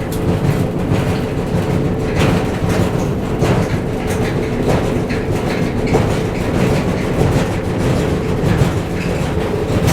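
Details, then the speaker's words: Whirlpool gas dryer model LGR7648KQ1 running: constant deep rumble with an uneven thump roughly once a second as the drum turns; both the left and right drum support rollers were found worn. "I think the issue is the dryer's making too much noise, vibration. So let's find out why."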